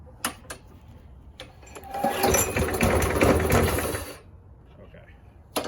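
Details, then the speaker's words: Craftsman lawn mower with Briggs and Stratton engine, sat about eight months and leaking fuel from the air filter: a few pulls, then about two seconds of ragged firing on fuel syringed into the cylinder before dying; fuel delivery problem, clogged carburetor. "so it did that little bit of fuel we put in the cylinder did burn it tried to run and it died immediately because just had that little bit of fuel that we gave it"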